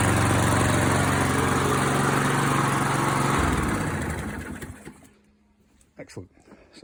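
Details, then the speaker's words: ATCO Liner 19SE V mower, Briggs & Stratton 675IS Instart engine converted to Makita 18V battery start: engine catches, runs at even steady beat a few seconds, then shuts down; slightly slow start blamed on 2-stroke mix instead of regular unleaded. Normal start and run. "pleased with that. A little slow to start because I didn't have any regular unleaded."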